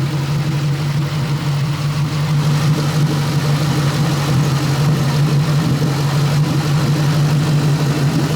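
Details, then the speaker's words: New Edge Mustang after spark plug and ignition coil change, warming toward operating temperature: steady low idle with occasional soft sharp pops from the exhaust every second or two, worse as it warms; lean code persists, bad injector suspected, unconfirmed. "sounds healthier, but that that pop is concerning. It's more and more the warmer it gets, too."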